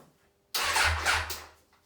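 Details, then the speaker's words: 1994 Suzuki GSXR 1100 barn find, parked about ten years, tried before any carb work: about a second of starter whirr turns the engine over with a steady low churn but it never fires; cranks, no start. "So we know that it turns over, so we'll just grab some easy start."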